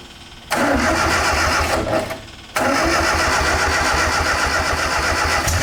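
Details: MGA 1600 roadster four-cylinder during restoration, started on choke with little fuel to test the rebuilt cooling system: quick crank, catches, dips once, then steady even idle with firm low pulse; cooling system holds pressure without leaks, normal start.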